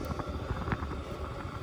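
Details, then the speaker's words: VEVOR 8kW diesel heater running on high, about 350° directly at the outlet; it heats a 10x12 cabin at 30 below. Steady low roar with an even, slightly fluttering combustion rumble and no knocks or misfires. Running normally. "and when they're down on low um you know they probably use about a gallon over 20 4 hours probably up on high like it is right now it'll use significantly more than that"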